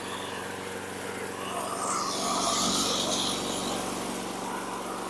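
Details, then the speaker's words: 1995 Tough Block (Kmart) 5hp self-propelled mower, AYP RBSP225QA, engine 129802-0894-01, no air filter: steady engine drone with rapid rattling clatter when blade engaged; blade likely hitting something. "went to engage it it it did engage but you heard all that clatter it look it sounds like the blades hitting something that sounded pretty bad"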